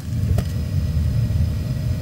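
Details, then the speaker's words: Commercial oil boiler burner, comparison unit, lit, apparently on low flame, light solid red; steady deep roar, even low rumble, no pulsing; firing cleanly and normally. "red flashing light on the top there sounds like it lit straight away that light's now solid red"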